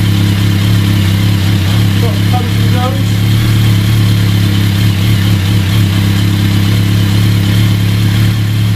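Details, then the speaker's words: BMW K1200 motorcycle at 59,000 miles, idling with a faint light chatter: clutch basket rattle, probably from a worn cush drive in the back of the basket; throttle bodies also slightly out of balance; clutch due for replacement with a 16,000-mile used unit. "what causes the rattle so you've got a rattly clutch it's probably the the actual the basket the main bit of the basket with the crushed drive assembly I'll show you on the bench in a second"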